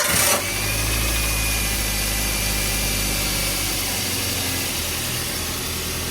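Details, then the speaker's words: Toyota Avanza after replacing the alternator, which had sounded rough on arrival: steady, even idle with a smooth low hum and no rattle or scraping from the belt side, now healthy. "Alhamdulillah bunyinya sudah nggak tadi seperti pas datang ya itu kan hancur Jadi sekarang sudah aman"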